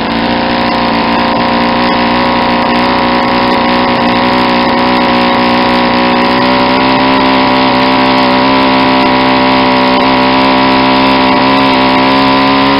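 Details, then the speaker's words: Saito 50 four-stroke model engine, first run after bearing and ring rebuild, APC 11x7 prop, 10% fuel, needle leaned out from rich: steady clean high-pitched buzz climbing slightly, smooth near peak RPM. "see how much the exhaust most decrease how the sound of the engine picked up an RPM I was getting near the peak warm now"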